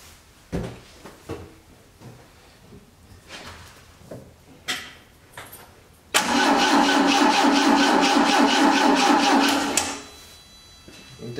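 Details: 1980 Triumph TR7 2.0 slant-four, first start attempt after seven years sitting: after some clatter, starter cranks evenly about three beats a second for four seconds with no firing; fuel pump not heard, owner suspects water-contaminated tank and rusted pump.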